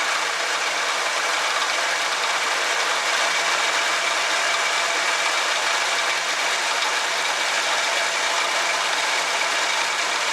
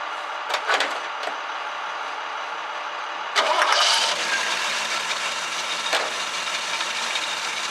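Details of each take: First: 1966 Chevrolet C10 during a tune-up, before timing is corrected: steady but slightly hurried idle with a faint light clatter over it; ignition timing set far too advanced. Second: 1966 Chevrolet C10 after basic tune-up with dwell set: a few short bursts, then catches and settles into a steady, even idle around 800 rpm; runs smoothly, better than before.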